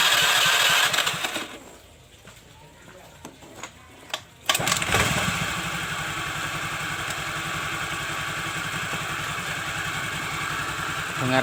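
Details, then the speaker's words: Honda Vario 110 after fitting a new piston: starts and settles into an even, steady idle with no knock or rattle. The earlier rough noise is gone. Left idling to circulate oil, not revved hard. "Suara berisik yang kasar itu sudah hilang, tidak seperti sebelum saya membongkarnya tadi."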